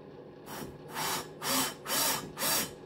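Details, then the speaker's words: Brand-new cylinder head for a 1641 VW-type engine, valve lapped by drill in cold conditions: rhythmic gritty swishes as the valve is turned back and forth with paste; the grinding lessens as the seat beds in. "j'entends bien que c'est plus abrif reprends plus rien"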